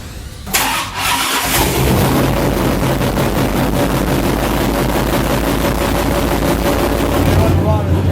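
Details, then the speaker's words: Alcohol-fueled drag race engine on a dynamometer, gravity-fed from a bucket: catches after a second, then holds a loud, steady, even roar with no misses or knocks, running well with timing and carb jetting just short of perfect. "Adams beast is running beautifully just a little timing and jetting the carbs away from perfect.."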